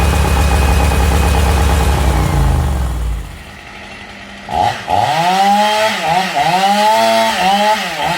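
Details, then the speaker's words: Honda GX630 small engine screams at a constant flat-out pitch with no settling to idle. The governor is solid and won't move once running, though it is free when stopped, leaving it stuck at full throttle. "As you just saw, as soon as you fire this engine up, we are stuck on flat out. Doesn't matter where you move. You can't move the governor. It's solid."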